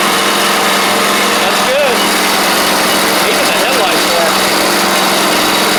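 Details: Troy-Bilt Pony riding mower, first start of the replacement engine on fresh gas after the seized original was swapped out: steady, even run at constant speed, no knocks or misses; small mower engine sounds healthy, though it smoked out the garage.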